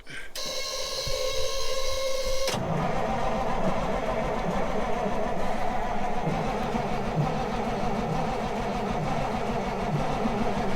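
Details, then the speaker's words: Semi truck sitting about 23–30 years, first start attempt with a 12V jumper pack added: slow, labored cranking about three and a half turns a second that catches into a ragged diesel clatter, then runs; a hard start after long storage. "all right so we might not be getting uh fast enough crank so we're gonna add a jumper pack to it 12vt"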